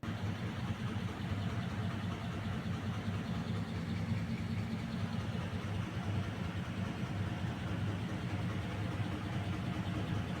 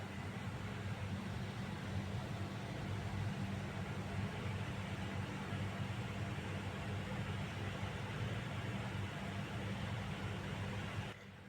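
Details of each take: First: Package air-conditioning unit, sound heard at the indoor unit side: steady low droning rumble with rough uneven flutter throughout; abnormal noise, cause unclear, with loose belt or broken motor bearing or V-belt pulley named as possible causes. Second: Package unit AC indoor side after fixing a noise, with the outdoor side already running smooth: a steady, even blower rush with a low hum and no knocking, rubbing or squeal; normal running.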